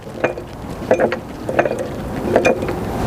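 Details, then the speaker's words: Freightliner Cascadia, Eaton 13-speed transmission, loudest with the clutch released: irregular sharp clacks as the gear is turned by hand. Broken and missing teeth skip over the mating gear. "Because the teeth over here are touching nothing, and then they are skipping the teeth of the other gears and making that loud sound."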